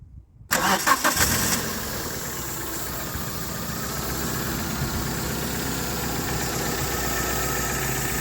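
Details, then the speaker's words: Toyota Carina E cold start: short crank, catches quickly, brief rev, then smooth steady idle; a cough or rattle may be audible, and the catalytic converter is suspected to need attention. "sounds very smooth when I read the engine now you might hear the cough rattle uh but like I said that's going to be um replaced or or fixed very soon"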